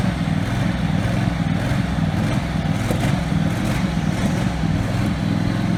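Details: Husqvarna 48 GLS lawn tractor, formerly racing, now governed only by the big high-speed spring with the idle screw set. Single-cylinder engine holds an even, steady low-throttle speed without surging, though it surged at other times because the spring is inappropriate.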